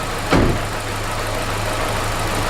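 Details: Vauxhall Corsa VXR with low compression on cylinder 4: a thump, then a lumpy, uneven idle with a dull low drone; misfire from piston failure.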